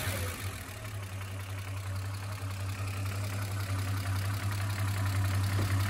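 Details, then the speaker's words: Chevrolet Opala SS6 1979 with 250-S engine and carburetor at idle: steady low idle with a light, even valve tick, the characteristic normal sound of its mechanical lifters. "Esse barulho de tucho característico do motor 250S, né?"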